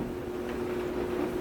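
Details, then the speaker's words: Samsung DV203 dryer, about 7–8 years old, test run with lid off after repairing no-heat fault: quiet, steady motor hum, drum turning evenly with no scraping, thumping or squeal; heat then confirmed. "All right, at least it works. Let's give it a shot. There's your dryer turning."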